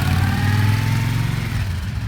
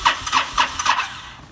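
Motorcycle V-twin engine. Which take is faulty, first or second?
second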